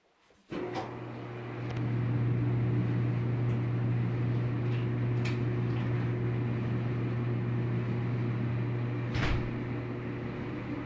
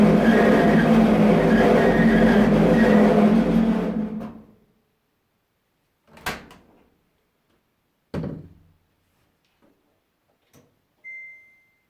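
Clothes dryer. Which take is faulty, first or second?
second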